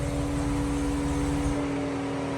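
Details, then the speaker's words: Car with multiple misfire codes and a severe coolant leak: steady fixed-tone fan hum continuing after engine shutdown; cooling fan running on due to coolant pressure problem from the leak. "Right now you hear the fan on because there's a coolant pressure problem because obviously we have a crazy coolant leak."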